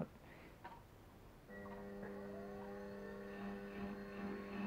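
Once the motor starts, a steady low buzz sits under the whir and does not change; unsmoothed pulsed DC from the thyristor controller.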